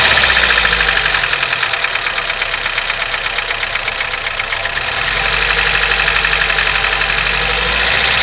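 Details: VAZ 2101 engine at idle: sharp metallic tapping about four times a second over the idle, a steady knock from inside the engine; cause unknown.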